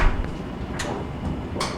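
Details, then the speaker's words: Amana/Admiral gas dryer (AGD4475TQ0), which had not been heating, after thermostat replacement. Two sharp clicks over the drum rumble as the gas valve opens at startup: normal heating cycle, repair confirmed. "that's the click I was looking for"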